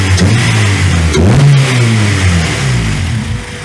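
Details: Car named Ronda after new B16 cam belt kit, water pump and tensioner, ignition timing set with timing light, warm: revs up and settles smoothly and evenly, no misses or rattles; runs far better than with timing way out.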